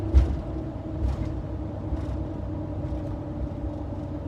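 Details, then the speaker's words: 2500HD truck on Federal Explora M/T mud tires, coasting off the throttle at 60 mph: a steady low hum and road noise, about average for a mud tire and nothing abnormal. "You get a little bit of hum, a little road noise, as you would expect with mud tires."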